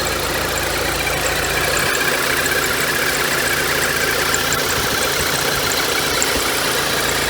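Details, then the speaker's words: $500 VW turbo Beetle, air-cooled, just started after battery revival, warming up: steady, even idle with busy air-cooled clatter, no misses or surges; quiet and running fine. "I'm surprised though it started a little bit warm up nice and quiet though"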